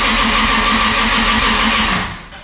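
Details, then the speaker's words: Toyota 2JZ engine, first start attempt with fuel pump disabled: steady starter whir with even compression pulses for two seconds that never catches; cranking without starting while ECU reads rpm and oil circulates. "sweet well it's not starting but it's pretty dang cool to have it make some noise even if it's not idling and starting noise pretty awesome to see the engine turn"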